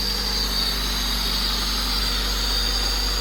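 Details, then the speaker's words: Honda Civic EG3 hatchback with Mini-me VTEC head swap, P28 ECU on a stock map, long sat and non-starting, now starting easily after swapping positive cable and battery from another car: steady, even idle, smooth low drone, no knocks, misses or surging; normal idle. "Holy! It sounds good. Now I'm relieved. Finally the engine started. And it started easy."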